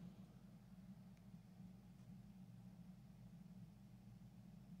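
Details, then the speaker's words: About 1968 Magnavox suitcase record player transistor amp, owner-recapped, repaired for hiss and noise in one channel, now giving 3.5 W per channel and still cold. Very quiet output with only a faint acceptable hum and soft hiss, no crackle; normal. "that's pretty good that's about what i'm used to seeing from that so three and a half watts per channel both channels work no scary noise no more"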